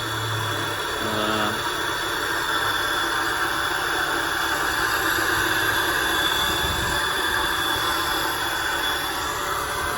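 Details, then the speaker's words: Peugeot 306 at idle with AC on: steady whirring rumble and faint high ringing from the AC compressor bearing, which is to be replaced; the roller is fine, and temperature stays normal after running a while. "AC udah nyala. Suara itu ya, suara dari kompresor laharnya."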